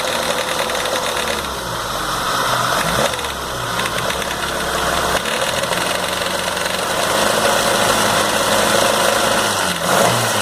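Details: Light, fast metallic rattle over a steady idle on a rebuilt MG 1300 engine, noticed after the rebuild and traced to the timing idler gear.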